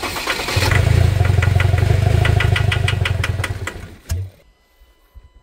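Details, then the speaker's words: Ford Ranger diesel with knocking issue and damaged injectors: starter cranks in steady beats near three a second for about three seconds, never catches; mechanic notes water in fuel; high-pressure pump later found strong. "Ayaw. Bumukasin tubig na e."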